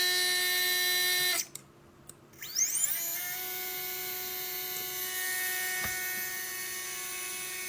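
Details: Readytosky 1804 quadcopter motor on a vibration test after calibration: after a brief stop it spins up to a steady high whine with a rough, buzzy edge. Bad bearing, crazy vibration; magnets reportedly come loose from vibration.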